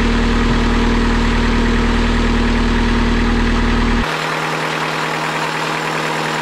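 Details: Fresh-water-cooled boat inboard idling at dock test after raw water pump rebuild, oil pressure 40 psi, temperature gauge reading very hot, possibly inaccurate old sending unit; steady even low rumble, no knocks, misses or rattles; healthy.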